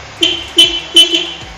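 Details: 2013 Kawasaki Ninja, about 27,000 km, engine sealed and near silent at idle: several short, crisp honks with steady bright pitch at full volume each time; horn works strongly.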